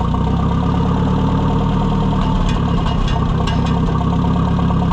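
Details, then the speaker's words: Oliver 550 tractor during tune-up, idle thought set too low: deep, steady low-speed beat held evenly with no stumble at the idle speed wanted; good idle. "think if it would idle about there, that's already You know, that's good."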